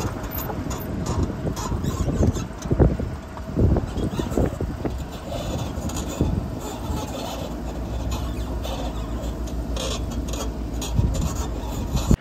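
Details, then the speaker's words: 2008 Chevy Tahoe driving on the road: loose tinny clunks and rattles in irregular bursts over road rumble, like a wheel about to fall off; several mechanics found nothing, worn sway bar end links suspected. "basically this car sounds like a tin can going down the road it sounds like the wheel's about to fall off of it"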